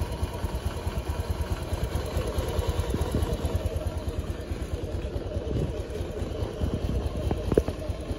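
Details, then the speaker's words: Bored-up Honda Beat injection scooter after CVT block service with rollers and clutch linings cleaned: even low idle putter, no rattle or scraping from the belt drive; transmission now smooth. "oke Guys ini untuk suaranya mudah mulai sudah mulai halus"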